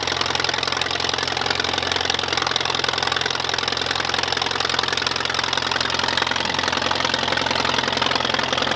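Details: 1951 Allis Chalmers WD tractor idling after first start in at least 10 years, new coil and points fitted; steady quick tick-tick rhythm of about three beats a second with dry mechanical clatter, normal even idle.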